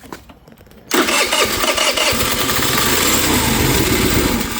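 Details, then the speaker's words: MVP 49cc Chinese scooter with starting fluid sprayed in to bypass fuel delivery: after a quiet second the engine catches and keeps running, showing the fault is fuel getting from the vacuum petcock to the carburettor. "but I got no fuel here, which tells me this thing's not opening, which means maybe I don't have enough uh suction through the vacuum lines here to open that up."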